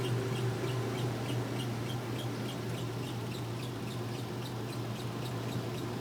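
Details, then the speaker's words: Washer spinning: quick even squeaks about three a second over steady low motor hum, from fill hoses rubbing together behind; belt also suspected to need tightening or replacing. "I know you can hear that squeaking, but that's the fill hose back there rubbing together."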